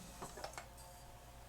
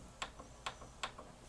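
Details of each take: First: 1988 Yamaha CD-29 CD player after new belts; few quick plastic clicks as drawer shuts, then faint steady whir as disc spins up and table of contents reads. Normal disc tray close and loading. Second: 1988 Yamaha CD-29 CD player, tray won't open; microphone inside unit, faint motor whirr with three sharp clicks about 0.4 s apart while tray barely moves, seems jammed. Slipping CD tray drive belt.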